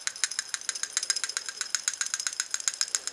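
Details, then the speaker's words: 2004 Subaru STI EJ engine, 118,000 miles: new, good PCV valve shaken in hand rattles freely with crisp light clicks about four a second, in contrast to the old bad valve. "so here's what a bad PCB sounds like and here's what the good PCV valve should sound like"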